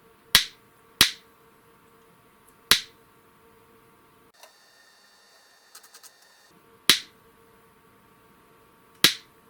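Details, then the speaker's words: Panavia Tornado Gr.4 LRMTS Mk3 laser head Nd:YAG flash lamp, run on 28 V and 115 V supplies with a 1 kV capacitor, triggered by a function generator: five crisp snaps spaced unevenly over ten seconds, each clean with a fast fade; firing normally. "Okay, so you can hear the noise."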